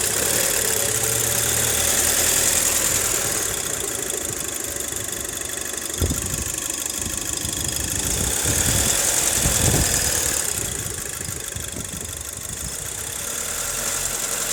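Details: Audi A4 at idle: a quick, fairly even ticking knock at about three to four per second over a hissy engine bay; knocking noise, source undetermined.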